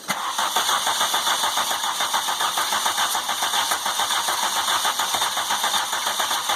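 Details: MK2 VW GTI converted from fuel injection to four Yamaha R1 motorcycle carbs, with fuel pressure set near three: even starter chatter at about two beats a second for several seconds, never firing; cranks but won't start.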